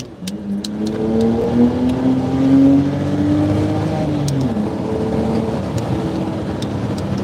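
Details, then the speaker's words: BMW 325xi naturally aspirated straight-six, before the tune, with a K&N air filter, a replaced throttle-body boot and exhaust. The smooth exhaust note climbs steadily under acceleration with no knocks or rattles. Normal exhaust under acceleration. "nice yeah it definitely sounds good straight six big dirt yes sir thank you Kelly no turbo yeah no turbo"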